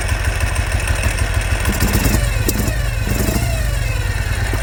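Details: 2005 Ural Patrol twin motorcycle firing only on the left cylinder; spraying starting fluid around a suspected air-leak area made no difference: lumpy, uneven putter with a missing beat, limping on one cylinder.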